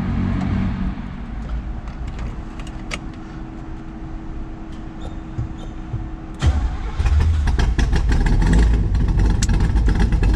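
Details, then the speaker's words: 1965 Chevrolet Corvette L79 327/350 V8, matching numbers, frame-off restoration with engine rebuilt 2018, side pipes, 77,000 miles: a deep, lumpy burble at fast cold idle, then a sharper crack and louder rumble as it catches. A normal cold start and warm-up. "The side pipes sound fantastic. Let it warm up a little bit."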